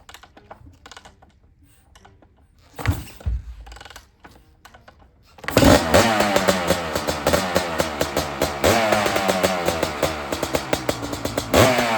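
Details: 2001 Honda CR500 two-stroke in a 2006 CRF450 aluminum frame (MRE build), kick-started after sitting a long time with fuel on, choke up, decompressor used: fires into crisp rapid crackle, blips cleanly, holds steady; runs healthy.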